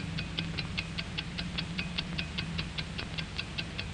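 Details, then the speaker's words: Hamilton mechanical watch (1949 training film), balanced mechanism of springs, gears, pinions and bearings: crisp, even ticks about two and a half per second, steady beat; normal watch ticking. "What controls the ticking of a watch? Inside, we find a beautifully poised and balanced mechanism of springs and gears, pinions and bearings."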